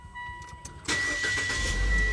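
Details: Car fitted with a LiFePO4 lithium battery with BMS, restarted to read peak current: near silence, then a brief crank that catches at once and settles into a steady, even idle; a healthy, quick start.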